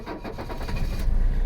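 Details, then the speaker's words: Mercedes 300CD diesel, unstarted for a week, near-freezing January with block likely sub-freezing: slow, labored cranking pulses speed up and catch into a low diesel rumble; battery nearly flat but still starts reliably. "oh yeah we were just about out of battery but she still came alive so if she'll start you know in close to freezing temperatures the block is probably sub freezing then uh i consider this a reliable start for any time in charleston"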